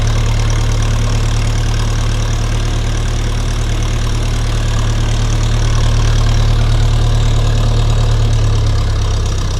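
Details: Restored 1952 Massey Ferguson TEA20 tractor with rebuilt engine, new 12V alternator, battery, distributor cap, coil and hoses, warming up: low, even chug around three beats a second, steady rhythm, no knocks or rattles; normal idle.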